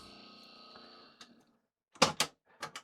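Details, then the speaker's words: Aiwa AD-WX929 twin auto-reverse cassette deck with a tape loaded: the motors hum steadily but the transport never catches, only clicks and clunks; the mechanism is not engaging, with gooey or stretched drive belts suspected. "You can just hear the motors spinning, which means nothing's going to work. We'll put a tape in for giggles, but nothing's going to happen."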